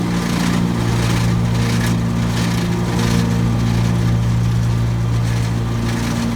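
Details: Brand-new 2017 Gravely ZT HD 52-inch mower running with PTO engaged: low throbbing hum with loose rattle on top, apparently from left side deck belt; quieter when belt tension increased; deck rattle.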